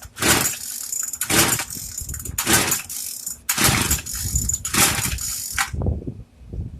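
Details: Craftsman two-stroke weedeater, stored after six months' use and stopped running, after priming, set to 2: five quick pull-cord rips about a second apart, then a short weak sputter that dies; will not catch.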